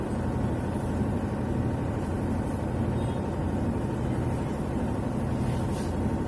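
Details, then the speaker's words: Whirlpool White Magic Pro XL 800S washer on spin program, about 7 minutes left, after a vibrating bag was taped down: smooth, even low hum with no knocking, scraping or rattling; problem solved. "जो आवाज़ पहले आ रहा था आवाज़ अभी नहीं आ रहा, problem solve हो चुका है इसका। 7 मिनट बाकी है स्पिन प्रोग्राम ख़त्म होने के लिए।"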